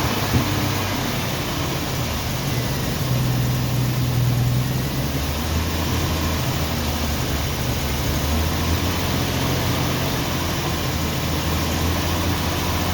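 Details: 1990 Jeep Wrangler after fuel tank install and carburetor tuning, possibly still cold: low, lumpy idle with uneven beat and stumbles, shaking hard and stalling; misfire suspected, plugs to be checked.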